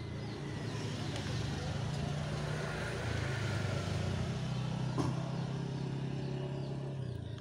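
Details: Shimizu water pump motor only hums steadily and won't turn, no spin-up, so no water comes out; cause is a melted run capacitor that must be replaced with a new one.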